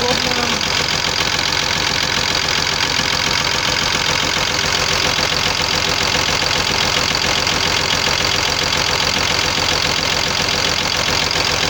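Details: Cummins diesel at idle: steady sharp knocking about three per second; knock traced to worn connecting-rod small-end bushings, replaced with new bushings machined to fit new pins.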